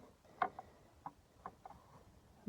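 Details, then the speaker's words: Chrysler Voyager/Dodge Caravan, 2.4 petrol EDZ 151 hp, A604 automatic: with the engine off, the flexplate is rocked by hand, giving loose, uneven metallic clunks; the flexplate has play, found cracked around the crankshaft bolts, and knocked loudly when driving. "Чаас оце вручну буде хорошо чути. Раніше це було сложно побачити. Щас це доступно. І вже коли открутив його от бублика, от коробки, стало проще його вращати. І цей звук при їзді був дуже громкий."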